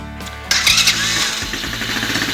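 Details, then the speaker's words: New Odes Rider 8 125cc automatic ATV with forward/reverse and manual carb choke, first start unwarmed: brief crank, clean catch, quick even putter; healthy engine, idle slightly high, may need lowering once warm. "Kind of get an idea of how it sounds and idles. And I can tell you, if you can get a good indication from here, the idle's just a little high on this right now."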